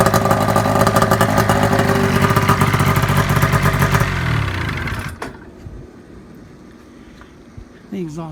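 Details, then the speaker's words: Gen 3 EEE buggy with a snowmobile two-stroke engine: loud, raspy running with sharp popping and chuffing around the loose muffler, unpacked and unriveted, just set in place; exhaust leak at the muffler. "style everywhere around the muffler it's not packed it's not riveted it's just kind of set on there"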